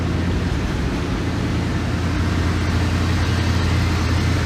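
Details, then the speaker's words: Rusty 1988 Dodge B350 fleet van V8, donor drivetrain for a 1984 D150, idling: low smooth even rumble with steady beat and no knocks or ticks; runs good. "so runs pretty good it's some type of fleet vehicle we'll take you inside and we'll fire it up in here so she does all right can't tell where the linkages on this so runs good sounds good just rusty be 350"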